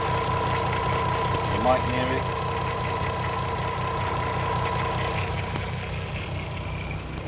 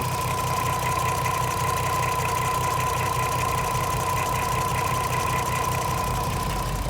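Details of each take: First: 2007 (57-reg) VW Golf R32 3.2 V6, 92k miles, idling before a one-hour intake carbon clean: steady drone with a slightly lumpy, uneven pulse. Rough idle from carbon buildup; it runs quieter and smoother after cleaning. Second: VW Golf R32 (57 reg, 3.2 V6, 92k miles) at idle after a one-hour carbon clean through the air intake: steady, even hum with no misses or surges, now quieter and smoother than before; normal idle.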